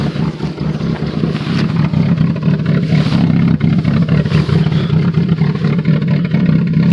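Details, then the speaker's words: Cavalier cold start at 0°F: it fires up but runs with a deep, uneven, choppy rapping rumble like a rotary and won't settle into a smooth idle, the worst in a long time; rough cold running, cause not pinned down. "hey so sorry it does not want to let go take that sounds terrible sounds like a rotary rap rap rap rapping rotary Wow hey the worst I've heard it sound in a long time but it fired up"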